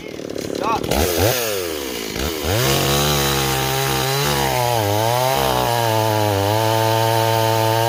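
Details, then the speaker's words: Stihl 026 chainsaw returned as a no-start, cutting in chilly weather: revs surge and sag unevenly, burbling without a clean high scream under cut; running too rich. "let's see if that helps at all neighbors it was definitely running too too [Applause] [Music] [Applause] rich"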